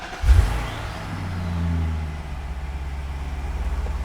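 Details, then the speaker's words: Alpina B7 V8 cold start after the A/C compressor was replaced: it cranks, flares briefly and settles to an even idle with no compressor noise, where the old compressor was audible almost immediately. "nice cold start so far no noise it's very good the old one you could hear it almost immediately but this one is quiet so far"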